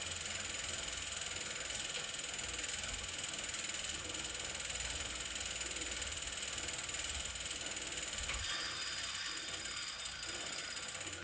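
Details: Wahoo KICKR CORE trainer with Zwift Ride, strapped to a rocker plate, while pedalling: fast, somewhat irregular ticking about four clicks a second over the hissing flywheel whir. Clicking of unknown source, reportedly a known issue; unit later replaced.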